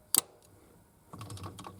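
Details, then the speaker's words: 1971 Triumph GT6 MK3 with Laycock D-type overdrive, after fixing a loose connection that made it cut out: one sharp click, then light mechanical rattle as the overdrive engages normally in third and fourth gear. "this is neutral the overdrive is disengaged when I move it to third and four you hear the click it's now engaged"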